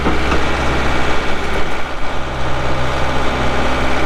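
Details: 2012 Kubota M8560 85HP 4WD cab tractor with loader, only 381 hours: diesel settles into a deep, even idle with a steady low rumble and no knocks or misses; normal, healthy idle.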